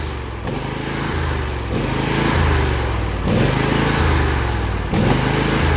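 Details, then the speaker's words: John Deere L118 with Briggs & Stratton Intek V22 twin, rebuilt for blow-by, running in to seat rings: steady low twin drone with small throttle blips, no puffing or knocking; normal running, only slight blow-by. "What I'm doing here is seating the rings."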